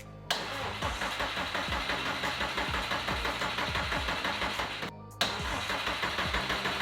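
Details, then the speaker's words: 2015 Subaru STI, first start of the rebuilt engine: it catches quickly and settles into a steady, even idle with a regular beat and no knocks or misses; runs smooth, though it logs an O2 sensor bank 1 code because the sensor was left unplugged. "Well, it's running pretty smooth, but we're throwing a code for O2 sensor bank 1, and the reason for that is because old Brandon didn't plug it in."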